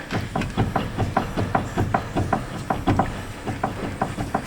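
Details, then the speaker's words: 2016 or 2017 Hyundai Santa Fe with clunking in the steering when turning or over bumps; rocking the wheel on the lift gives dull irregular knocks about once a second from the steering rack support yoke area, with a ball joint also possible on that side. "So you can hear that knocking up in there. This side's a little hard to tell because we have a ball joint as well"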